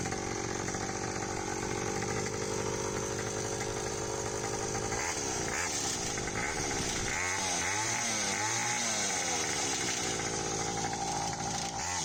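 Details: Restored Hawkmoto 49cc two-stroke kids quad, fitted with a new NGK BM6A plug and pull-start cord, case and chain fixed, first outdoor start: a high, raspy buzz runs steadily, then revs swing up and down cleanly without misses; running healthy.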